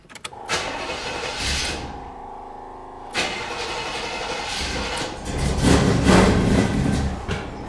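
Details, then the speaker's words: 1979 Chevy Caprice cranked after at least two years unused, with gas and two-stroke oil added: steady cranking with one short pop, then back to cranking, no fuel reaching it yet; cranks with brief pop, no start. "Woo! Little pop. No fuel yet."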